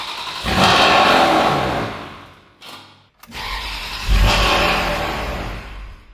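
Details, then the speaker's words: Ferrari 360 Spider, first start in 2 years, sludgy oil, ignition coil connectors just refitted: engine fires and revs, then dies within seconds by itself without throttle, restarts and sags again; stalls after starting. "Did it turn off by itself? Yes, but I also didn't keep giving it gas. Okay, once more it turned off by itself."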